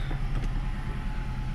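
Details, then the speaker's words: Nissan Rogue after replacing ignition coil and spark plug for misfires: started slightly rough at first, then steady low idle with even rumble, no misfire stumble or ticking; scanner shows no fault codes. "it sounds certainly fine says no fault codes detected"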